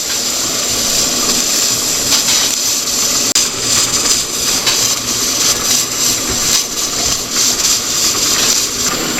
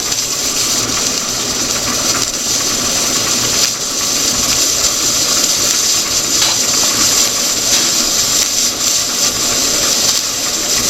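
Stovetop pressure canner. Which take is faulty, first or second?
first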